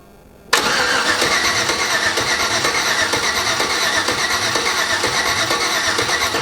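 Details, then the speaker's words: 87 Chevy S10 with an LS swap on its first start attempt, possibly with a wrong fuel pump; six seconds of steady, even cranking with no firing. It cranks but won't start, with missing spark suspected. "Feels like we're missing spark."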